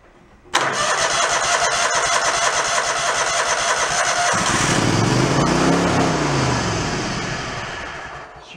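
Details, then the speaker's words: Mid-90s Toro Wheel Horse riding mower that died after a drive-belt change: with power back-fed for spark, it fires and runs evenly a few seconds, then stumbles to a stop; carburetor fuel shutoff suspected unpowered. "Runs for a couple seconds and dies. Let me see if we can knock that throttle down."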